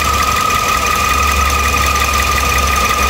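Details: 2013 Toyota Vios Limo after right engine mount and stabilizer link replaced, fan belt refitted; steady high crying whine at one pitch over idle, also a noise after shutoff; water pump suspected.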